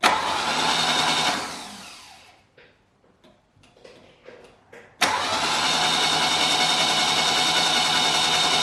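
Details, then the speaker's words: Saab 900 Classic after years of sitting, test-cranked after the starter was overhauled and a new starter wiring loom fitted, with the valve cover and intake manifold off: a strong, even whirring crank in two bursts, no grinding or clicking. The starter works properly. "let's just keep our fingers crossed and hope that the starter motor turns around"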